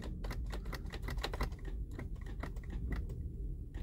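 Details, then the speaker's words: Mazda CX-7 with a no-crank condition: the starter clicks rapidly, about five a second, without cranking even with a booster attached. The charging system is OK and the key chip and security light are now good, so the starter itself is bad. "you hear the starter is clicking, but it doesn't want to start. That means this is another problem in this car."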